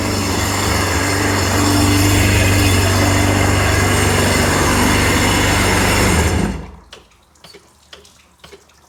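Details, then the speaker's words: 951 two-stroke engine, running with the engine installed after a top end rebuild, with water flowing and no leaks: a steady, constant-tone drone for six seconds before shutdown with no stumbling or knocking. Normal running. "through, everything is working."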